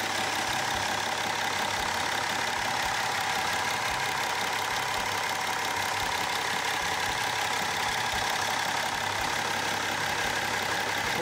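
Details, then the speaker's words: BMW X3 3.0L N57 diesel, ~250,000 km, first run after full reassembly with all typical wear parts renewed, warming up; steady even idle with smooth light clatter, no rattle or chain slap, runs quieter than before. "ja ich muss sagen läuft auf jeden Fall ruhiger als vorher"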